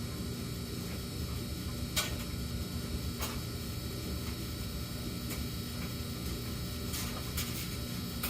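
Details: Samsung gas dryer with a fixed-pattern intermittent hum (high 14 s, low 38 s, then none for minutes): steady low hum under the tumble with a few faint clicks, no knocking or scraping; cause unknown.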